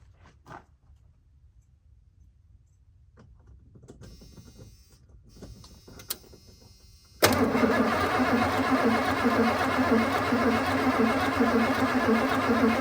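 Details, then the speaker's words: 1991 Ford F250, after sitting: quiet, then steady loud cranking from about seven seconds, never catches despite a shot of starting fluid; owner thinks the fluid evaporated before reaching the throttle body. "Well, nothing. Uh, I don't I don't think the starting fluid even made it to the throttle body. probably evaporated off before I could get in there and hit the key."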